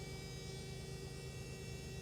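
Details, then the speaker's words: Electric fuel pump on a Jaguar AJ30 3-litre V6-swapped MGB GT, running after a melted 30 amp fuse was replaced; quiet steady hum with faint even whine, no stutter: pump doesn't sound broken, cause of blown fuse still under investigation. "pump. Doesn't sound like it's broken."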